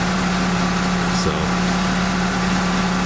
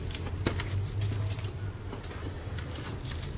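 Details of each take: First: Mitsubishi Outlander started after repair work, still cold: even, steady low hum with no knocks or misses, just a touch of cold-engine roughness; a healthy idle while warming up. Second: Mitsubishi Outlander being repaired. Even cranking drags on about nine seconds before the engine catches and runs; excessive cranking noted. Cause unclear.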